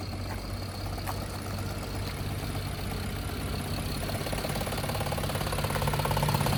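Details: 2011 BMW 528i, N53 3.0 L I6, 272 hp, check engine light on: an uneven, lumpy idle with irregular low thumping about three times a second, shaking and sounding like a diesel. An engine misfire.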